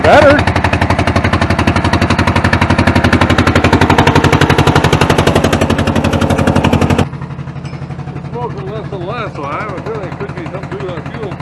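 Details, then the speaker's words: Hamm DV3K roller/packer diesel bought as inoperable at auction: loud, hard clatter about four beats a second, pounding unevenly then cutting off; runs rough, owner unsure whether low compression or an injector not atomizing. "the way it sounds I don't know if that's compression or if that's a injector not fire and not atomizing"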